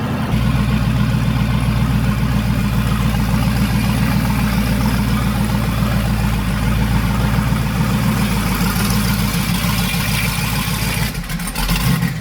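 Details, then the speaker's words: Twin-turbo Silverado V8 driving, running rich (not tune-related), misfire-like: steady low rumble with uneven lumpy beat and occasional stumbles under light load; now running richer, cause unknown, may go to tuner. "so all right we made it it's actually running richer now i don't know what's going on with that"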